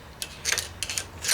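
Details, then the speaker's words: VW bus engine, top end rebuilt about two years ago, became noisy and clacky while driving: sharp irregular metallic clacks over a faint engine; a valve spring fell apart, valve possibly damaged or bent; valve train ticking. "that's not too good it looks like the valve actually the spring fell apart and now hopefully it didn't take out the valve or bend the valve"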